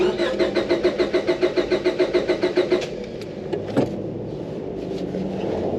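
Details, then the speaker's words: 2002 Honda Civic B16 DOHC VTEC 5-speed, unrun over 10 years, after water pump job, fresh oil, new plugs and battery: starter cranks evenly and briskly about three seconds, never catches; no fuel delivery. "Seems like we're not getting any fuel."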